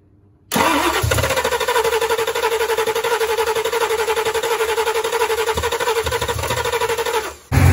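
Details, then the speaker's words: 1990 Ford Mustang GT, built 306ci 5.0 V8, just converted from EFI to 4-barrel carb with HEI distributor, first start: fires and holds a fast, slightly uneven pulsing idle; runs but needs more tuning and timing. "Well, it runs. Definitely a little more tuning, a little more timing,"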